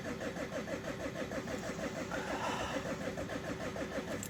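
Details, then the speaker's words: Second Opel 1.9 diesel with a winter no-start, after an attempted repair: the starter cranks repeatedly at a steady beat but the engine never fires. The fix has failed so far and the cause is not yet found. "There's no start here. Yes, so far the operation has failed."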